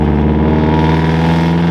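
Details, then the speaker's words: 2012 Toyota 86 GTS with Tomei UEL headers and X-Force cat-back, muffler unbolted from mid pipe: loud, raspy low boxer drone with deep steady rumble at idle, harsh open exhaust without muffler. "what we've done is really quickly disconnected the two bolts holding the muffler to the mid pipe and we're gonna start it up"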